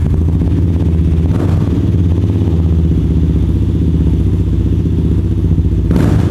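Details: Kawasaki Estrella 250 (W250) single-cylinder cafe racer with a custom silencer packed with plenty of glasswool: deep, even thump with two clean throttle blips, fuller than a W175 and not too loud. Normal exhaust note.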